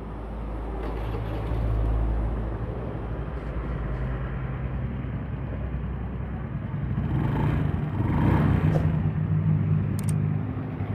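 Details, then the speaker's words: Honda Beat FI engine after rebuild (had rough ticking from late oil changes, suspected scored piston): smooth low even idle, soft steady beat, ticking gone compared with before teardown; healthy. "Halus ya suaranya ya. Udah nggak ada suara teketek-teketek kayak sebelum dibongkar."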